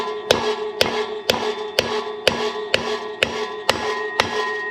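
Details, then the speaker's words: Harley Softail front 21-inch wheel, new Timken bearing race being driven into the hub: steady hammer blows about two a second ring sharply at first, then go duller and thud, showing the race has bottomed, fully seated. "Now I'm going to start pounding, and when you hear a definite change in tone, more like a thud, then you know we bottomed out."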